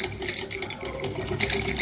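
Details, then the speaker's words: Old sewing machine running with a loud, rattling metallic clatter from a worn, loose handle linkage and a dry, unoiled gear; the fix is to check the handle, keep thread out of the shuttle and oil the gear. "और हमारी machine जो है ना कभी भी सूख ना चले अगर ऐसे चलती रहेगी तो हमारी मशीन आवाज इतनी करेगी और हम उससे परेशान हो जाते हैं"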